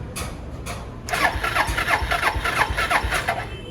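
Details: Suzuki Skywave AN250 EFI scooter with sudden stalling and fuel injection light, after bypassing the fuel injector 12 V supply line: short cranking, then it fires and idles steadily. The fault code no longer appears; a broken wire is suspected but not yet traced.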